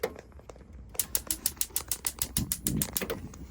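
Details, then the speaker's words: Bailey Phoenix 650 caravan gas cooker grill push-button piezo igniter; fast train of sharp dry clicks, about three a second while the button is held, sparking normally. "It is the case you've got this button on the side that you press in and you hear the clicks, and then you turn these knobs to the side."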